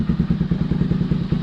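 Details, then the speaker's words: Honda Grom first start after a DHM tune and Koso intake mod with a larger intake tube: small single-cylinder thumps at about twelve pulses a second, steady and even with no misses; idling well, normal idle. "everything looks pretty good, idling well."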